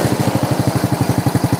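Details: Honda Supra motorcycle fitted with a Honda Grand coil, whose engine internals were wrecked by another shop's careless work and then rebuilt: crisp, regular exhaust pulses at about nine to ten per second with no misses; idles smoothly.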